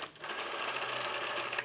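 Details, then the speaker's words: Western Electric 302 rotary desk telephone, initial checkout before service; dial unwinds in quick even clicks that come slower than they should; sluggish rotary dial return, needs oiling, cleaning and adjustment. "we also want to go through the rotary I'm going to show you that that's very sluggish"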